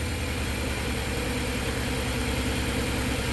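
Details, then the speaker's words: Nissan NV3500 engine, first start after battery sat dead about 1.5 years; factory fuel pump called garbage: steady idle with slightly uneven low pulse, about three beats a second, that later clears up; rough idle, cause unconfirmed. "Engine sounds good, but it's a little rough."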